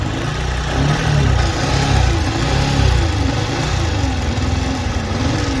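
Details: Yamaha R15 V3 with charging problem and engine noise: a droning hum that wavers up and down in pitch over the running engine; coil (stator) plate and crank bearings to be checked, pointing to a faulty stator coil plate.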